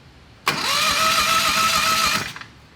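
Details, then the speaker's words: Turbocharged Harbor Freight 670cc V-twin dragster on nitro methanol, plugs gapped to 0.070: quick high-pitched starter whir under two seconds, never firing; cranks but no start with no spark, suspected coils or magnet, not confirmed. "do you have spark I don't have any spark I don't have any Sparky I'm gonna put it closer"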